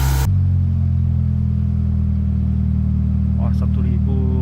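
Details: Proton Waja MMC automatic, engine overhauled, ECU flashed, K20 coil-on-plug fitted, stored six years, aircon on: steady, smooth hum idling noticeably high; idle timing setting had drifted badly, fixed by resetting the idle tuning.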